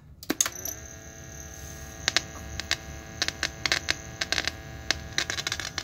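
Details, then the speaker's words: 1971 Philips model 1530 cassette recorder in playback: only steady hum and handling clicks, no programme sound, before tracing the head wire. "[Music] well clearly getting no sound i'm going to try and find where the wire to the head goes and see if i can just get some audio going to that"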